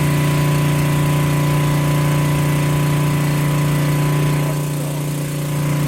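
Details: Generac generator that had no spark and would not start, started without choke: steady, even engine drone at constant speed with no misses or knocks; running smoothly.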